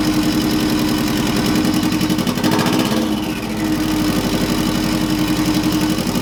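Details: Subaru EJ205 swapped into a Honda CRX, first startup on a stockish setup: idle not super smooth, slightly uneven lumpy beat, no misfire; owner unsure if timing or fueling, maybe needs tuning. Rough idle.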